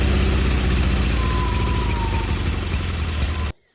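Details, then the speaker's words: Newly swapped carbureted engine, running after the fuel line, filter, throttle and exhaust hookup. A lumpy, uneven beat sags and then cuts out, never holding idle. Rough idle, cause not confirmed. "Alright, sweet. Running a lot better. It does not like idle though."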